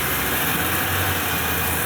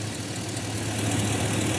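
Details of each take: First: GM V8 pickup bought at auction, idling roughly with shaking felt in the steering wheel and a light tick about three times a second (suspected exhaust leak); flashing check engine light, bad misfire from a dead fuel injector; smooths out when revved. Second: 2005 GMC Sierra LS V8 after a stuck injector was freed with punch and hammer: even low idle burble, steady rumble, injector clicking, no stumble or shake; normal smooth idle, injector fixed.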